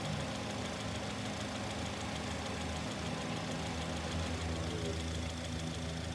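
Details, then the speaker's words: Microphone placed next to the barrel of one fuel injector at idle during a lab-scope noise diagnosis; quick, even ticking over a steady idle rumble, normal injector noise, nothing wrong. "i want to put this next to the barrel of fuel injector okay that's just normal noise"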